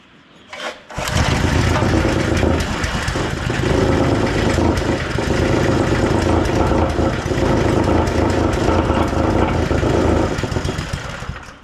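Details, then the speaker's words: Wacker WP1550 plate compactor from auction, fires on one pull with choke: small single runs steadily but plate doesn't vibrate; owner suspects centrifugal clutch issue. "Well, it appears to run pretty good. I mean, I quite honestly I have not started this at all. and one pull and it's fired up, but it seems like it's trying to run the vibration. So, I'm assuming it's got some sort of clutch issue."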